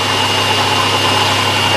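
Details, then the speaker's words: 1996 Buick LeSabre, about 210,000 miles, idling: thin high constant whine over steady idle. Owner unsure whether low power steering fluid or another accessory, thinks it comes from the transmission but can't say for sure. "yeah there's something down there making noise I don't know if it's uh because I'm low on power steering fluid or if it's one of the other accessories"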